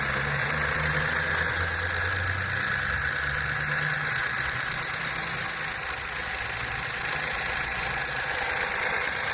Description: Cold start engine noise, after repair of oil leak on the camshaft phase variator. VW move Up! MPI 5000km.